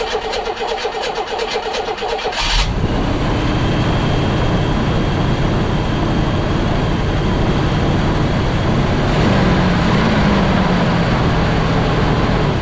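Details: 1982 GMC S-15 pickup after the starter fix (it had been held by only one bolt): quick, even cranking for about two seconds, then the engine catches and runs steadily. Starter sound fixed, though it possibly still needs a shim.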